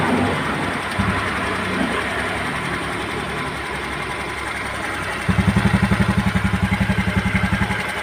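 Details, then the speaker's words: Honda Beat scooter that had a noisy, dry-bearing-like sound, started after replacing the bearings (6205 and 6007): a light, regular putter at an even pace with no grinding or rumble; smooth, healthy idle. "ini sudah saya Nyalakan Alhamdulillah mesinnya kembali halus [Musik] sudah adem suaranya"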